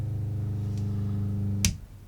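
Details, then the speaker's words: 2017 Thor Four Winds 28Z Class C motorhome fresh water pump switched on: a steady low buzzing hum while pressurizing, then a sharp click as it shuts off; normal pump operation. "in order to do so just flick the switch on you'll hear a vibration which is the pump pressurizing once it's done pressurizing you will hear it kick off"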